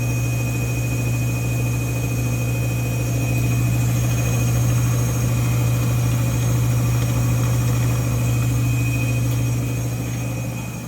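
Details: Brand-new GE front-load washer model GFW850SPNRS spinning at speed: steady piercing high-pitched whine over deep roar; service techs say this is normal for the model and a replacement would sound the same.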